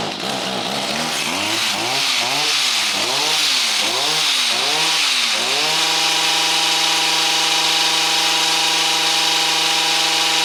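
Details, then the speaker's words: Stihl hedge trimmer with an aftermarket HIPA replacement carburetor, fresh fuel, choke off, throttle locked on high: revs surge up and down then settle to a steady high scream; mixture too lean, adjustment needs opening up. "Okay, we're going to have to open up the adjustment a little bit because we're getting a little hesitation."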